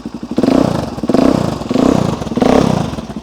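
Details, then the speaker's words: Carbureted motorcycle, cold, on choke with a little throttle: engine keeps firing with gentle rhythmic surge about every two-thirds of a second after running too rich and missing; normal cold idle on choke. "see now too rich can't run but now when we start it a little bit of throttle now it will sit there and happily happily run"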